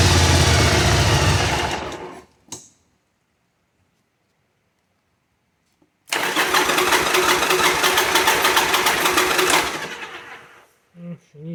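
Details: 1985 Virago 1100 stored 8 years, with fresh fuel, a new battery and purged fuel lines, on full choke: it stumbles, catches, runs rough and fades; a reluctant starter, and the owner suspects the carbs need cleaning.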